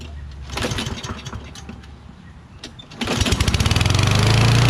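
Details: Toro Recycler XT675 mower with Kohler engine, started after a couple of rough pulls; governor adjusted the day before and thought to be still set too high, so it climbs to a hard, rising, unsettled over-rev.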